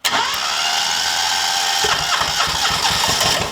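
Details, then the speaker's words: Ransomes Motor Triple Mk4 mower, water-cooled two-cylinder Kubota diesel, sat about five years, decompression lever used: starter churns, engine catches with rough uneven firing but won't keep running; throttle cables seized, diesel condition unknown. "but it starts. So, it started. We didn't get it running running sort of thing."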